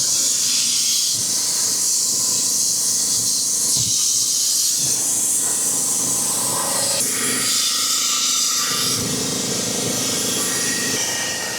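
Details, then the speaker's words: 1961 Buick LeSabre, a tire that came off the rim at 10 PSI being reinflated with a compressor: a loud, steady rushing hiss that swells and fades as air escapes past the unseated bead, possibly with too little pressure or volume; air leak at unseated tire bead. "So, we either don't have enough pressure or the hole is just too big. All right. So, we're not kicking off enough uh volume of air."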